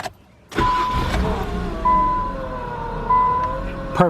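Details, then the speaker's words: 2000 Nissan Maxima, P0505 idle air control fault (previously stalled unless throttle held), after throttle body work: short crank, quick catch, steady idle about 800 rpm; faint whine, owner unsure if power steering pump; normal restart and idle. "but as far as the idle this is done it won't even shut off no more"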